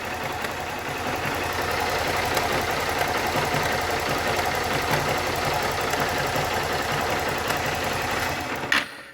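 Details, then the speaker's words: Honda Start 160 motorcycle, warm engine idling in neutral: fast, light, sewing-machine-like ticking rattle over idle, not normal running noise; worn cam chain tensioner letting the chain slap. "ó te te te Tec não sei se você T conseguindo ouvir Não é esse um barulho do funcionamento Tá mas é uma"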